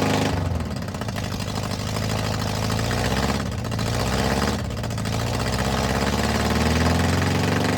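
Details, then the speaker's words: VW Bus flat-four neglected about 30 years, just first-started after cleaning out mouse nests, exhaust removed: loud, raw, blatting idle with heavy low thump and sharp popping edge. Engine running without exhaust. "Yes, man. That is loud without an exhaust on it."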